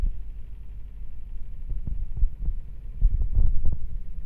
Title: not well leveled/unbalanced machine vibrating and making noise on spin.... solution adjust the feet.